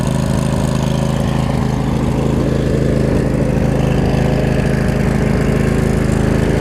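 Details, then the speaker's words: Craftsman lawn tractor Briggs & Stratton V-twin after resealing the valve cover gaskets: steady, even low thrum with no misses or ticks; normal idle. "now covers look good here it's smooth out too it's not too bad"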